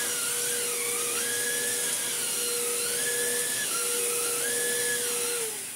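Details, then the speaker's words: Vax Blade 4 vacuum cleaner being restored, filter still heavily clogged: clean, steady high motor whine with strong even airflow, no rattle or labouring; normal running. "oh that's quite nice that works really really well"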